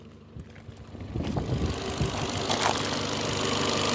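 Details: Ford Fiesta with a suspected blown head gasket, after Steel Seal treatment, hot idle around 101–105°C: an even idle, then the cooling fans rush in at 105°C and the temperature drops. It no longer overheats; a normal hot idle.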